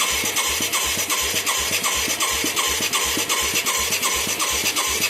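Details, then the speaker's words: Mid-1980s Yamaha YFM200 Moto 4, newly fitted carburetor and new spark plug, cold day: sharp pops about three a second with a hissy squeal, barely running, blowing fire back out of the carb; owner suspects valve problems. "Yeah, it's blowing fire back out of the carburetor, which is usually like a valve, right?"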